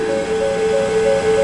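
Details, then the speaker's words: 2017 S550 Mustang with a dead battery after months of sitting and a no-start; owner suspects the PCM or tune was wiped. Five quick two-tone dings, about three a second, over a steady hum: the engine over-temperature coolant warning chime. "hear that thing ding in the back that was the coolant warning saying engine over temp so I'm not sure if we got another problem there"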